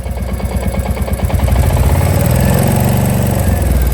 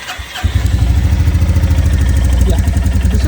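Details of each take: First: Royal Enfield Classic Reborn 350 (J-series, BS6) fully hot after about 15 km: single-cylinder idle with a light metallic clatter on each firing beat. Combustion clatter attributed to a hot, lean-running engine, not tappets. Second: Royal Enfield Classic Reborn 350, J-series BS6 engine, 4,000 km, on a cold start with a cool engine: it fires on the first try and settles into an even, steady single-cylinder thump with no clatter; normal.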